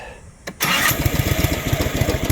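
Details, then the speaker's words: Honda key-start mower after replacing the failed starter motor that only grinded: short crank, catches immediately and settles into an even steady beat; normal start and idle. "So starts up just fine."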